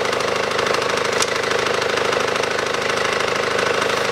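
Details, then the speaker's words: SsangYong Actyon 2012, 2.0 diesel, manual, 4WD, 77,000 km, idling with the AC compressor on: a steady rapid knock from underneath, about four a second; the worn drive belt tensioner was replaced. "хорошо слышно звук идет снизу хочу поднять автомобиль снять колесо снять боковой пыльник и прослушать с такого агрегата откуда идет этот стук стук неприятно"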